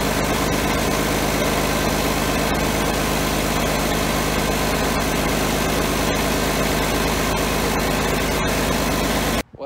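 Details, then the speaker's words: John Deere 770A motor grader diesel, sat five or six years, running after fuel-delivery lever fix: steady even clatter at constant speed, no misses or stumbles, no smoke, strong sound; normal diesel running. "you have it the old John Deere 77 770 still runs we got it fired up sounds really good no smoke coming out of it real strong sound and motor on it"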